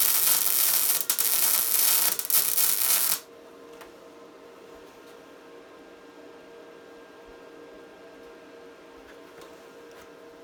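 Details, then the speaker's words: Tesla MIG 260 MIG welder on 3 mm metal, correctly set for that metal: steady, fine sizzling crackle for about three seconds, even and without loud pops, then quiet; a properly tuned arc. "ось такий правильний звук правильно налаштованого апарату на даний тип металу"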